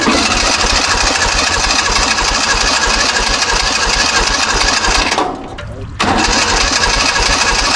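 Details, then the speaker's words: 1970s Kubota L1500 two-cylinder diesel tractor abandoned about 20 years, after adding diesel and fixing a leaking fuel line, at full throttle with glow: loud, uneven cranking that pauses and resumes, never catching; suspected very low compression, diesel pouring from exhaust. "It's probably just really low in compression."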